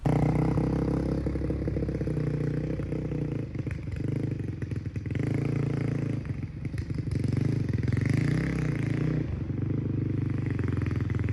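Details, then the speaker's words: 2005 Honda CRF450X, sat 10 years, after needle richened one notch (two from bottom), main jet 190, pilot 45: single revs up and falls back cleanly, no bogging on throttle; running great, normal. "so as you can see this thing is an absolute beast and it is running great now"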